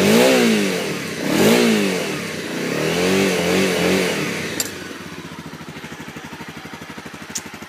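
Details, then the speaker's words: 2013 Honda CRF250L, 93 km, parked all winter with fuel stabilizer, battery just reinstalled, in neutral with tires off the ground: a few smooth revs that rise and fall cleanly, then an even, steady thumping idle; it sounds healthy. "But yeah, she's running, and I don't know how well you can hear it, but it sounds pretty nice here."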